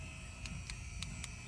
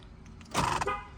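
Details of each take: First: 2006 Toyota 4Runner, faulty front-left and rear-left door lock actuators, engine idling: about four sharp clicks in a second and a half as the lock pulls itself back, machine-gun-like; faulty door lock actuator. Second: 2006 Toyota 4Runner right-side door lock actuator, working normally unlike the faulty left ones: one short crisp electric whirr ending in a solid clunk, no grinding or repeated cycling; normal door lock actuation.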